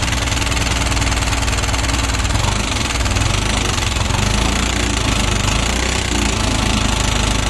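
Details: Yamaha NMAX that ran low on engine oil and lacks power under throttle: harsh, dense mechanical clatter over the idle; the intake rocker arm bearing is wrecked and the camshaft worn.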